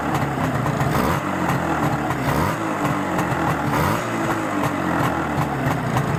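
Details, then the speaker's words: Izh Jupiter-5 two-stroke with balanced crankshaft, idling after about 2 litres of petrol burned with Rostov pistons fitted; busy, even idle with slight speed wobble and no knocks or rattles, the feared piston ringing has not returned; normal idle. "и работает сейчас этот двигатель по прошествии так сказать того что он вывел уже фактически 2 литра бензина без каких-либо посторонних шумов"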